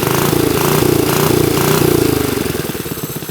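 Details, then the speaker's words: Vintage Briggs & Stratton minibike, first start on choke: single-cylinder pulses hard, then slows and turns rough and uneven as it loads down; centrifugal clutch engaging too early and chattering, possibly missing or worn springs. "heard that the clutch is engaging itself way too early and chattering so I'm going to pull this off and see what's going on"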